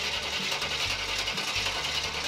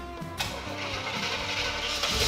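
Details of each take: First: Chevrolet K10 Squarebody with 355 V8, sitting about six years, fuel pump unhooked for a flooding check: steady starter churning about three and a half turns a second without firing; battery sounds weak; slow cranking. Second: Chevrolet K10 Squarebody with a 355 V8, restored in the 90s and sitting for 6 years, start after sorting fuel supply and reconnecting exhaust: brief crank, catches at once, steady even run with no misfire; normal start.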